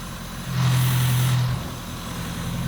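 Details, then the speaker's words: Toyota AE86 after the throttle body was refitted: low, even idle takes a brief blip and settles straight back to a smooth steady beat, with the earlier idle jump gone. "Sounds like a winner. Look, it's idling smooth. No idle jump."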